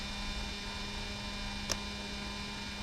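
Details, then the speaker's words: Mercedes 600SL ASR throttle actuator, ignition on and engine off: steady electrical hum with a faint metallic buzz from the repaired unit with lubricated gears; this is normal. "so you can hear this metallic noise that's good"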